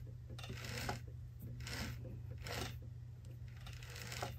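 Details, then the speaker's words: Helicopter's sprag-style one-way bearing after greasing: soft, dry rustling bursts about once a second with no squeak or squeal, the earlier squeaky noise gone; quiet, smoothly freewheeling one-way bearing. "that's right there's no squeakiness even if I do a close up squeakiness went away"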